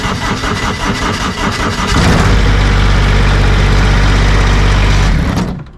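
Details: GR2100 diesel mower tractor (second unit being fixed up to sell, driveshaft straightened but not balanced): short crank, then the diesel catches and settles to a firm, even drone without knocks or shudder; normal running, driveshaft vibrating about 1/16 inch.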